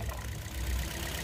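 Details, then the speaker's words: Toyota Vios 2nd gen misfiring with strong vibration: low, uneven, stumbling idle beat from one dead cylinder; number-four ignition coil gives no spark, possibly its electrical circuit, to be checked by swapping coils 3 and 4. "ngayon itong number four baka mamaya ay ang sira diyan Yung kanyang ah electrical circuit"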